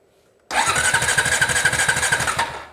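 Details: Honda TRX350TE Rancher ATV, cranking while checking stator voltages (about 7.5 V, stator seems okay): steady even rhythm, about four compression pulses a second, never catches; no spark at the plug. Crank, no start.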